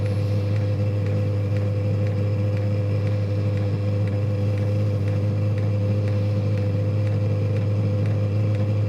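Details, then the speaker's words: 5–8 kW diesel heater during AFR-gauge tuning, dropping back to low setting after warming up, lowest pump setting just raised: steady low fan hum with faint irregular ticking, running unevenly, doesn't sound happy. "and now I'll heat itself up and then come back down to the two house I'll see that well what well it doesn't sound happy"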